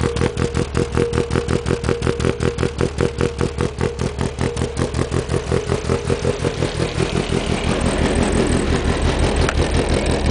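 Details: 1992 VW Golf GTI 16V 9A engine, cammed, with short-runner intake, G60 injectors and Digifant 1: choppy, lumpy cold-start idle with strong uneven exhaust pulses about five a second, smoothing slightly as it warms; rough idle.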